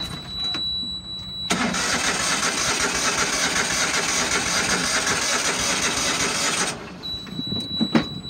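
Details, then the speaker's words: Used Dixie Chopper XG2503 mower, Generac gas engine, started once the seat sensor is occupied: catches at once and holds a steady, even idle about five seconds with no knocking or hunting before cutting off. "a generac gas motor and it sounds good it started right up"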